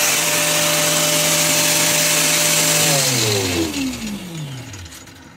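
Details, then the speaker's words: Wind turbine generator after repair, back on the tower: smooth steady whine sinking in pitch as the rotor slows, only a light chain rattle behind; runs quiet and healthy. "Pretty quiet. You can hear the rattle of the chain. But that's about it."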